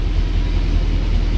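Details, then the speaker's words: Mercedes W204 C63 AMG, M156 V8, just started after new spark plugs and air filters: deep even V8 rumble with steady pulse, no misfire or stumble; runs smoothly. "She runs. She got new plugs."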